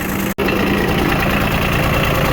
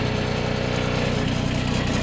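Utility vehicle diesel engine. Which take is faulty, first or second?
second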